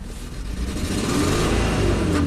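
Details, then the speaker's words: 1998 Mitsubishi Montero Sport V6 revving sluggishly on a snap throttle, lacking power; scope shows retarded spark timing, plugs are worn with excessive gap, and tube seals are leaking. "very sluggish to rev up"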